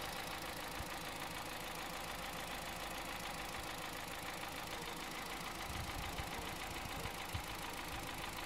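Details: 2009 Honda Civic Hybrid 1.3 petrol engine at idle: steady light knock, about three to four taps a second; owner unsure whether timing chain, piston slap or bearings.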